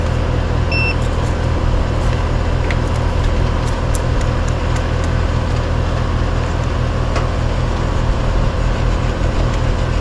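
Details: Roughly three-year-old heat pump/AC condenser that had neither heated nor cooled, running after capacitor replacement: steady, even low hum from compressor and fan with no knocking or rattle. Readings 129 suction, 234 head, 15-degree superheat on a piston; running normally.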